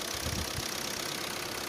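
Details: VW Vento 1.5 TDI diesel with DSG, 84,385 km, after flywheel replacement for engine/bellhousing noise: steady even diesel idle with only light clatter, no rattle or knock from bellhousing; healthy idle.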